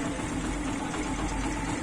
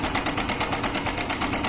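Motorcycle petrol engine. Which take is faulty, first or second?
second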